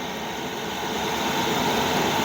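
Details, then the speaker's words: Amazon 8kW (27,300 BTU) Chinese diesel heater in a garage, first startup after ramping up: steady roar with hiss as the burner lights and warm air comes from the ducts. Normal burner operation; a slight exhaust whistle was noted. "Oh, I think the burner just lit. I got warm air coming out of the ducts."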